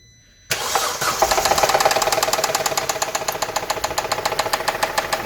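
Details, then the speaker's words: Engine just after start, with no dashboard warning lights: loud rapid knock of about three to four per second; suspected rod-end bearing or possibly lifters, Lucas oil additive made no difference; engine knocking, cause unconfirmed. "This is very bad. This looks to be probably very end bearing, I'm assuming."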